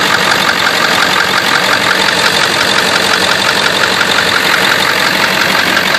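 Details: Engine at idle with light, fairly even tick about three per second; owner suspects a bad injector, source unconfirmed.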